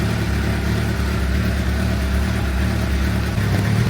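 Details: 2006 Suzuki GSX-R750 inline-four, over 5,000 km since last service, oil warming up before oil change: steady, even idle with smooth low hum, no ticking or knocking; engine healthy.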